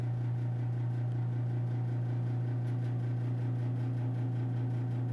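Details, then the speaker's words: Old gas heater in a bedroom, running: a steady low hum holding one pitch with a faint flutter on top; the heater droning as it operates. "this is the ambient noise this is the noise it makes and stop me your noise at all and if you can hear that little hum yeah oh"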